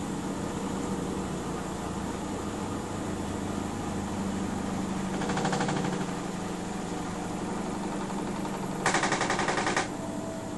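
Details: A Miele W 5963 washing machine slows down from a 1600 RPM spin. Two short bursts of fast, harsh rattling sound over its steady hum.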